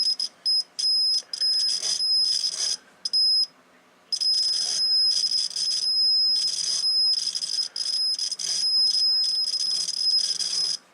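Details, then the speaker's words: Homebuilt T-match antenna tuner, listening to the receiver while moving the roller inductor: a high, steady buzz keeps cutting in and out with a scratchy sound; poor contact along a dirty, oily roller coil, which needs cleaning. "scratching us in the Demeter the coil definitely need to be cleaned there's no doubt about that and oil on that roller the rod at the roller depress huh fairly dirty all the way along"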